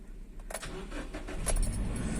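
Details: Car cold-started for warm-up with head unit, AC and all electrics off and gearbox in neutral: starter turns briefly, engine catches at once and settles into a steady low idle; healthy quick start, about one minute warm-up advised.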